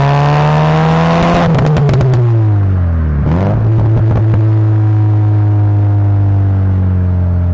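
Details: Subaru Legacy flat-four with an aftermarket exhaust, after replacing a gasket blown for 3 years: steady rumble with clean throttle blips, pitch rising and falling evenly, no leak ticking or puffing; exhaust sealed and healthy.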